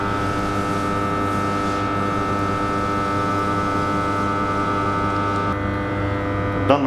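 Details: TM 1000 kVA 10/0.5 kV oil power transformer in service: steady low hum with a stack of even tones, offered as a test of whether the hum is normal.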